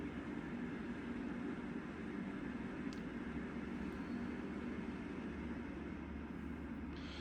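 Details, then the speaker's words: Inline centrifugal ventilation fan turned down to about 50% speed by dial, likely the EC motor: soft, steady whoosh with an even low hum, barely audible close by, about 300 m³/h; normal running at reduced speed. "So, there it's running at about 50% speed currently. You can only just hear it when you're standing next to it. Be a lot quieter again installed."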